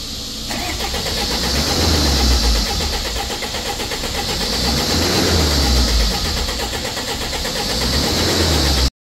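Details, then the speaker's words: Jaguar with Ingenium engine cranking during health check before timing chain repair: starter turns steadily about nine seconds with uneven, soft compression pulses; low compression audible. "you can actually hear it when it's cranking you can hear it's got low compression"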